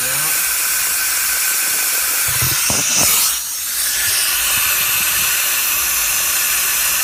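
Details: Hot no-start, cylinder air test with engine stopped: steady, loud hiss of escaping compressed air; cylinder leaking under test, leak point not identifiable.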